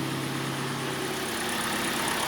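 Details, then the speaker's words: Kia Sportage 2.0 G4NA AWD automatic, 150,000 km, after repair of scored cylinders and piston knock (block bored, oil jets fitted), heard from outside: quiet even idle, steady low hum, no ticking or knocking; runs smoothly. "Работает ровненько, работает тихо."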